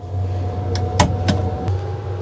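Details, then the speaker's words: Camping-car gas heater restarted with the exhaust removed, after a slightly rough start: steady low fan hum with a faint even whine under a few handling clicks; burner heating and running normally. "et la démarrer elle a tamponné un petit peu au départ et puis là ça marche le feu de Dieu là franchement là elle est elle est au top"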